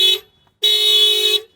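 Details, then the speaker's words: Tripped security alarm on an unfinished project car at a meet in an industrial area: loud steady horn blasts, a short toot then a roughly one-second blast, repeating; alarm trips the immobilizer so the car won't start, and the horns can't be reached. "It's been literal minutes and I have no idea how to get this alarm off. I can't start the car because it's tripping the immobilizer or the security system."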